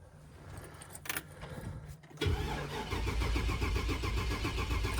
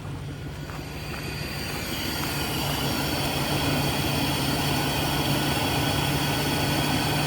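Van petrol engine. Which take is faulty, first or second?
first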